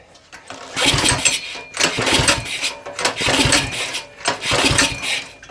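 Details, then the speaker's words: Axis M200 196cc mini bike, repeated recoil pulls with the choke on and then off: each pull turns over in a short burst but never catches. The cause was the size 36 pilot jet in the carb, found completely clogged. "And it looks like so the pilot on here pilot is a 36 and that is completely clogged."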